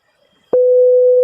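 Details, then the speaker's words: Opel Astra H radio swap, CD30/GID divorced and CD70/CID married via car pass: after the display accepted the security code, one steady beep follows a click. The radio is still in delivery state, and the theft protection is activated only for the display. "We only hear that beeping, which means that the radio is still in delivery state."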